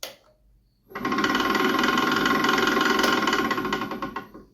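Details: Nova Comet II midi wood lathe running before bearing replacement: quick fairly even ticking, about three or four per second, over the spinning spindle; owner suspects worn spindle bearings.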